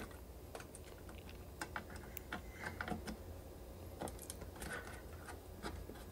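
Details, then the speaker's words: 2006 Maytag Ice2O MFI2568AES French-door refrigerator after installing aftermarket Whirlpool 12920710 control board: ice dispenser auger motor runs continuously with steady hum and ice clicking in bin, pushing ice forward; risk of burning out auger motor. "so now unfortunately after installing this control board the ice dispenser augur would not stop operating and therefore it pushed all my ice to the front of the ice bin this may cause your augur motor to burn out if your ice bin is full of ice so there now you can hear it the the augur motor does not stop"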